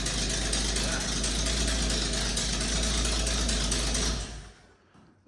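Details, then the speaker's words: Ford 300 inline-six, first start: loud raspy chuffing from the engine bay with no deep tailpipe note, as exhaust escapes through open holes yet to be welded up; exhaust leak. "problem is you're not hearing any of the exhaust because all the exhaust is coming out of these SM holes yeah yeah but as soon as those get welded up I can throw them back in"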